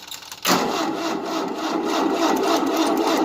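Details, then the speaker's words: 1988 Tennant 255 Series II sweeper after fuel line replacement, choke and starting fluid tried: steady ragged starter churn that never catches; not pumping fuel, probably not the line, fuel pump suspected. "It's not pumping fuel yet. So it probably wasn't a line then."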